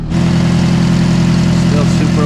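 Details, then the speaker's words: 2010 Toyota Corolla, 200,000 miles, at idle after re-bolting the exhaust flange: very loud raw rumble and chuffing. Exhaust leak through a rusted hole where a hanger was welded on near the heat shield. "loud well at least I know what it is now there was a hole here where somebody welded this hanger on"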